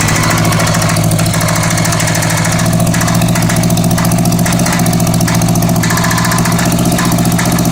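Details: Honda Goldwing GL1100 flat-four at idle, with plug wires pulled one at a time (No. 3 stalls it, No. 2 makes no change, smoke only from the right side): a light metallic rattle over the beat that went away, then came back. Source unknown.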